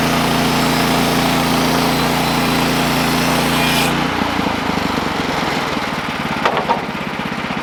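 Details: Sawmill engine drones steadily through a cut, then about 4 s in the note drops and turns choppy as the blade stalls. The cause was a worn-out, slipping clutch and a worn drive belt.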